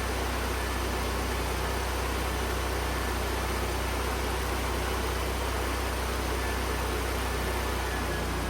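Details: Lincoln Electric Ranger GXT portable welder, 2-cylinder engine, that turned over but wouldn't start (customer suspected bad gas). Started with choke out and air filter off: steady, even drone with no misses. It now runs properly.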